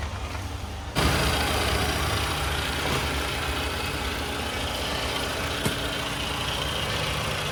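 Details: Toyota Camry with the 2AR-FE engine, in a case of front-of-engine noise traced to a faulty water pump: after a brief bump it settles into a smooth, quiet idle, a steady low drone with no front-end growl or squeal. Normal idle.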